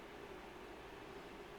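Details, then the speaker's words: PNY GeForce RTX 5080 Slim GPU under full load, about 78°C core, 74°C memory, fans around 2700 rpm, full wattage: steady loud airy rush, faint hum, no rattles; normal fan noise, no thermal issues. "Now, it is pretty loud. I'll put it that way. It is pretty loud. The three small fans."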